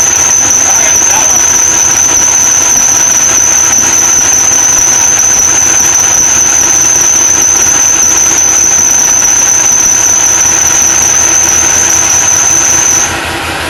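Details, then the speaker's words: Supercharged LS1 Tonner at first startup on a cold ~7°C morning, untuned, idling: continuous high-pitched accessory belt squeal for about thirteen seconds, then cuts off; WD-40 sprayed at the belt instantly stopped it; owner may check idler pulley bearing. "Definitely squealing on this belt here. You can see I put that WD-40 just in front of that belt and it instantly stopped the squeak."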